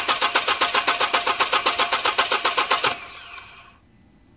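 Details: 2002 VW Passat 1.8 L 20-valve turbo after engine speed sensor replacement and battery-pull ECM reset; starter spins at an even rhythm, about four pulses a second, never catches, then winds down. Crank, no start.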